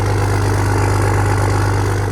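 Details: Diesel truck in a snowy West Virginia garage, just cold-started: steady low chug at an even idle with no misses or knocking, left to settle; normal idle.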